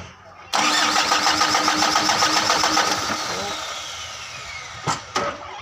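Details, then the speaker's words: Mitsubishi Canter 125 diesel truck, hard starting (suspected air in fuel, injection pump timing checked): starter cranks at a steady chug about four beats a second until smoking, but the engine never catches. "oke dinamo staternya sampai berasap tapi nggak mau hidup akan kita colok dari belakang"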